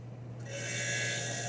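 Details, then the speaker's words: Undercounter cooler, 1/2 hp compressor after installing a 3-in-1 hard start kit on a no-cool call: steady low mains hum with even hiss, no clicking; compressor now running, about 7 amps on the run wire. "we now have a compressor sound. We did not have before, but just to verify."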